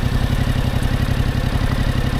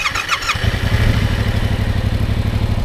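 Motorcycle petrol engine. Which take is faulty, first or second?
first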